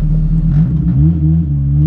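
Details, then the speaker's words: Renault R5 Turbo 2 after full rebuild, final injection and ignition tuning, sharp engine with lots of cam overlap: low steady idle hum with slight lope from the lumpy cam, holding evenly; good idle compromise found, normal idle. "mais là bon a priori ça a l'air d'aller j'ai réussi à trouver un bon compromis"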